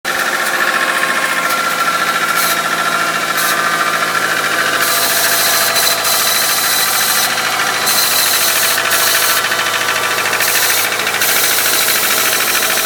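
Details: 2001 Subaru Outback 2.5, 278k miles, valves already adjusted: loud fast uneven metallic rattle on acceleration, strong for the first 10-15 minutes cold, much less but not gone once warm; source unknown.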